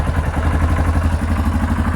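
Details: Yamaha Kodiak ATV after cleaning clogged carburetor jet with wire following running out of gas: even, steady low thumping idle, no misses; normal idle after fix.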